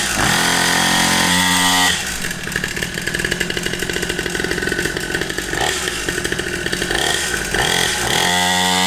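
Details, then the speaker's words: Cheap Temu 49cc two-stroke pit bike, brand new and just started: high, buzzy note revving up and settling back repeatedly, crisp and steady like a chainsaw, running clean. "Oh, it sounds mean. I'm kind of into it."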